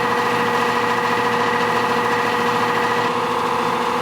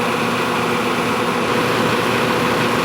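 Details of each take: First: Nordyne AC condenser unit, fan sprayed with water: loud steady droning hum with wavering tone, no loose fan or shroud parts; the wet 2-blade fan resonated, cured by replacing with a 3-blade fan. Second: Nordyne air-conditioning condenser unit fan running dry: steady, smooth whoosh with no rattle, thump or wobble and no excessive vibration; when wet the original 2-blade fan got loud, fixed by fitting a 3-blade fan.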